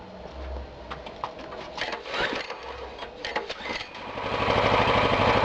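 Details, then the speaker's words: New Oleo-Mac MH 197 RK tiller, Emak K 800 6 hp petrol engine on A-92, fuel tap open, choke closed, cold first start: rattling pull-cord tugs, then catches and settles into steady even run. "Культиватор завелся. Дадим ему поработать 15 минут без перегрева."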